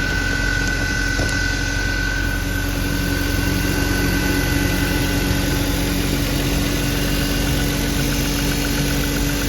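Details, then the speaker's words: BMW E36 M3 after repair, idling smoothly with no ticking, tapping or thumping; the ticking was caused by a loose spark plug, fixed by tightening the plugs. "Yes, that's what fixed it. That was a loose spark plug."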